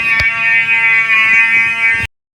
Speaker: Now, this one sounds like a [ __ ] autistic duck, bro. Jesus Christ.